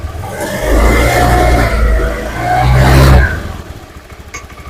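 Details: Honda Beat FI fuel-injected scooter, tested after repair with charging confirmed good (battery 12.78 V), revs up cleanly twice with pitch rising and falling smoothly, no misses or rattles; normal revving.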